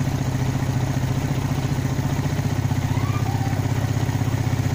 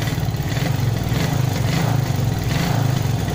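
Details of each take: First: Carbureted motorcycle, idle now mostly settled: as the throttle opens slowly it chugs and stumbles unevenly before it finally revs up; carburetor hesitation (brebet). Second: Carbureted motorcycle being treated for misfiring (brebet), heard after a carburetor adjustment: the engine blips up cleanly again and again, picking up revs straight away without stumbling or popping; throttle response is normal.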